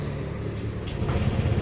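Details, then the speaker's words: Honda Vario 125/150 scooter, previously wouldn't start and made clicking on the starter, after the magnet fan was refitted and checks passed: a quiet lead-in, then it catches within about a second on the electric starter into a steady low putter; starts cleanly. "nah perhatikan motornya hidup ya noh di starter dia langsung bisa"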